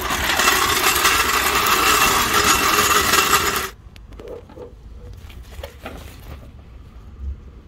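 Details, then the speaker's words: Rover (1.4), bought as a non-runner needing recommissioning, catalytic converter missing. Fast, even, light cranking that spins freely and never catches; the engine turns over but won't fire. Owner suspects low compression and plans to check the timing. "i'm sure you'll agree that sounds like low compression that's low compression"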